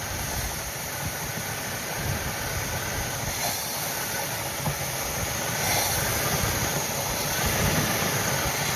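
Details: Monte Carlo parked 20 years, fuel squirted down the carburettor vent tube: steady starter churn at about four beats a second that never catches; owner suspects it is not pulling gas, probably a bad fuel pump or clogged fuel line.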